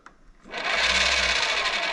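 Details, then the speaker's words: Bafang BBSHD mid-drive e-bike under pedal assist: sudden high steady whir spinning free without grip; slipping, owner suspects over-greasing with moly grease on nylon gear roller clutch or nylon gear itself, not confirmed. "the pedal assist is going and like something is spinning see there it spawn and there it's not and you can hear something it sounds like something is just like spinning freely like over"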